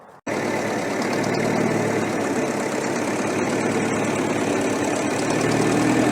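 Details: Restored Ferguson TEF-20 diesel tractor, 98% complete: fires straight up and settles into a steady even tickover, no misses or knocks; normal idle.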